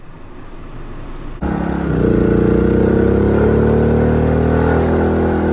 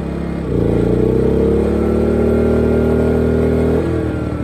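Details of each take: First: Small 2000 W inverter generator running a camper AC after fitting an SPP6 hard start capacitor relay: the compressor kicks on and the generator ramps up and nearly stalls, then settles into a steady even hum with constant pitch and no hunting, running normally. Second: Small 2000 W inverter generator running a camper AC on low cool, before fitting an SPP6 hard start capacitor relay; engine note jumps and strains as compressor kicks in then drops, overloaded, probably tripped out.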